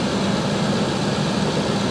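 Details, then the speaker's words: Ford ranch truck with 212,692 miles and new fuel injectors: even, steady idle with a smooth low hum and no ticking, knocking or chain rattle; healthy normal idle. "212,000 miles this thing has. And it runs and idles like a top. It sounds great."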